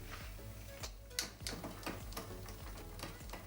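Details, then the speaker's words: Mountain bike (Rockrider e-ST 900) rear derailleur, after straightening hanger and reconnecting cable: steady rhythmic ticking while cranking as jockey wheel isn't aligned with cog; fixed by adjusting cable tension with shifter barrel screw. "Je fais le premier essai et on peut se rendre compte au bruit que le galet du dérailleur n'est pas en face."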